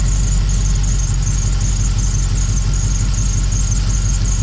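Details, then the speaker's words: Dodge Dakota R/T 5.9L Magnum V8 at idle with a lumpy, uneven beat from a persistent miss after new spark plugs and a sealed exhaust. A high steady squeal comes from a slipping belt, left unfixed because a ProCharger supercharger will replace it. "Also, the belt is squealing, but I don't care because once we put the Pro Charger on, we're not gonna have that same belt on."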